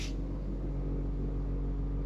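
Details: ECA Proteus Plus Blue wall-mounted gas combi boiler: steady low rumbling drone with a fixed hum, an abnormal running noise, recorded up close.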